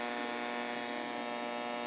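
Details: Restored Motorola 68L11 tube radio with microphonic tube problems, playing on a test AM transmitter: steady, even low buzzing hum under the audio; mains hum, cause unknown.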